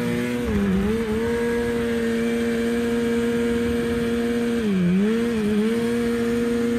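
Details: 1987 Arctic Cat Cougar 500 snowmobile (Suzuki two-stroke), long sitting, run from an auxiliary tank: steady buzz sags and stumbles twice under throttle then recovers; cutting out, owner doubts carbs and suspects a firing problem.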